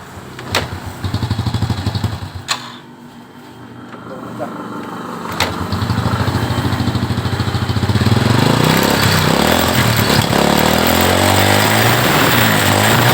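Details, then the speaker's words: Old Honda Supra X with flooding carburettor, after the fix: small single starts and settles into a steady, even putter, picking up smoothly with throttle. Normal running, repair succeeded. "Ternyata berhasil."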